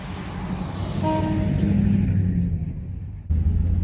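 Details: 1961 DeSoto revived after decades sitting, driving on about 3/4 gallon of fuel: deep steady rumble climbing as the car pulls away, no knocks or misses; normal running, sounds decent.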